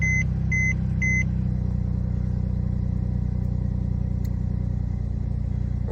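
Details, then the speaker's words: Mercedes M276 (2011-2015 E350/C350/ML350/GLK350) after replacing failed external PCV valve housing (part a276 010 03 31), next day after 30-minute test drive, check engine light gone; chimes then smooth even hum, whine gone; normal running. "Drove it for like 30 minutes. No issues. Check engine light is gone. And now we're good."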